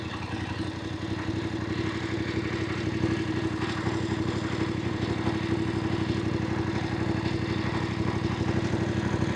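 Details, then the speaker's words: Voge 900DSX twin in sports mode, first gear, engine warm (2 bars), off throttle up a slight gradient holding 15 km/h: a steady even beat with less searching than in road and rain modes, the smoothest of the riding modes. "Now, strangely enough, out of all the riding modes, this is it appears to be the smoothest. I'm going up a slight gradient. It's holding 15 kilometers an hour. It doesn't appear to be as much searching as in road and rain, which I find surprising."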